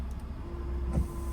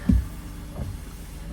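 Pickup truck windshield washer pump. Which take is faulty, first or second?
first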